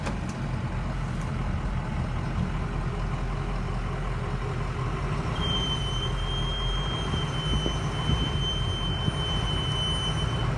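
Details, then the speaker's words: Ford E350 Econoline 6.0 Power Stroke diesel cargo van, long parked: steady high squeal comes in as the van pulls away and holds several seconds over the diesel; the front left brake caliper is sticking. "that squeak at the take off later i figured is from front left caliper that sticks which is just another addition to my repair bucket list"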